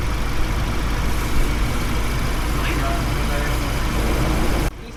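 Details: Ford Raptor diesel at idle after fixing the faulty cylinder 3 injector, which had caused misfiring: deep, even rumble holding steady with no misfire, stumble or knock; healthy idle.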